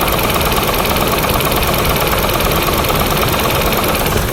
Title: Rod knock or lifter tick?